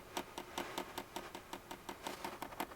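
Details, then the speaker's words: Hcalory diesel heater on first start-up: crisp regular clicks about five a second, quickening slightly, as the fuel pump primes and purges air from the fuel line; normal. "now that noise is my fuel pump trying to Pump Fuel up I can see fuel way over here it's I would think it's going to take maybe a couple times to get all the air purged out of the system"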